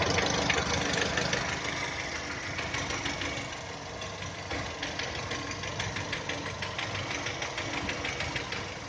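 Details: 2010 VW Touran 1.6 BSE cold start, idle below 1000 rpm: quick regular tapping about three per second, louder first then easing as it warms, stopping above 1000; seems left side. Rebuilt just over 15,000 ago (new pistons, valves, hydraulic lifters, bored block); cause not confirmed.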